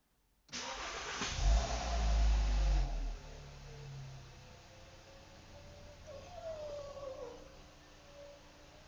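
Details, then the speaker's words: 2012 VW Jetta at engine start: engine cranks and catches, then a few seconds later a high wavering squeal rises and falls like a cat meowing; owner places it near the rear left wheel, source not confirmed. "no sé si escucharon parecía que traía un gato un gato en la cajuela o algo así así maullaba"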